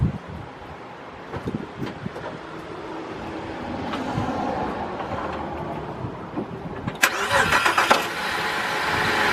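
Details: 2005 Holden VZ Crewman, 3.6 L Alloytec V6, idling at about 950-970 rpm before repair: cranks, catches, then idles unevenly with a stumbling, lumpy beat; misfire believed to be from a faulty coil pack.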